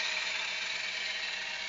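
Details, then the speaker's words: Honda City idling: steady high whir with faint rattle, traced to a worn belt tensioner bearing, which is to be replaced. "sobra ingay n makina tensioner yan guys pagka ganyan ang naririnig niyong ingay check Upin niyo mabuti sa kaso nito tensioner yan ang Papalitan natin"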